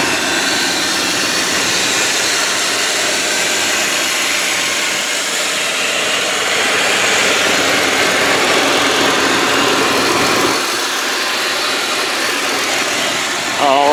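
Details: 2004 Kia Amanti V6 with 13,528 miles, engine cover on, recorded under the open hood: even, steady idle with a smooth hissy hum and no knocks, ticks or misfires. Normal idle.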